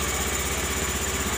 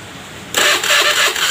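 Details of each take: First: Honda Beat FI injection scooter that was very hard to start and would not start, after injector replacement: steady, even single-cylinder idle with regular beat and no misses; normal running restored. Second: Honda Beat FI scooter, already serviced and reset, starter cranking: steady even churning about four compressions a second, never catching; cranks but won't start, fixed by replacing the injector.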